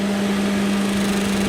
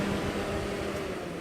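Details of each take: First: 1989 Jeep Cherokee XJ (Renix 4.6L I6) with retrofitted 1997–2000 Volvo S70/V70 two-speed electric fan: steady whoosh with constant buzzing tone as a blade rubs the shroud, a small clearance issue; loosening it stops it. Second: 1989 Jeep Cherokee XJ 4.6L I6 with a Volvo S70/V70 two-speed electric fan retrofit: smooth steady whir with faint hum and no scraping after loosening the mount; fan had rubbed the trimmed shroud, now running normally.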